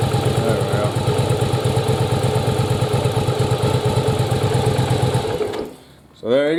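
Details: Yamaha Virago V-twin after rebuild, ignition coils swapped back to correct spark timing, possibly slightly flooded: catches and runs with a steady, even lumpy beat before cutting off; normal running.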